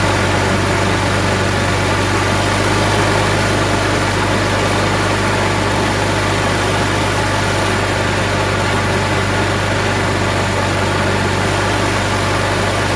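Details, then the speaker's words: Craftsman 22" mower, Briggs & Stratton Quantum 6.75 auto-choke engine, after carb cleaning, started on second pull without primer: holds a steady fast drone with no surging or stumbling; some initial smoke that subsided. "As you saw, it started on the second pull."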